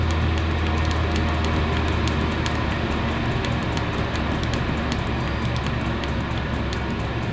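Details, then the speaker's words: Chinese diesel heater with a silencer fitted, up to temperature (70) and turned to its lowest setting (1.8), measured at about 53 dB with gale wind outside. A low, steady hum with a gentle churn; running normally and quietly. "I know once this is up to temperature it goes a lot quieter in fact a yeah it's 70 so I'll crank it down to the lowest and you see how quiet it gets"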